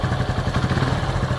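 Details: Honda Pop 110 motorcycle, 34,000, brought in for engine noise, after partial engine work: even, quick low putter at idle with no ticking or clatter; runs quiet and healthy.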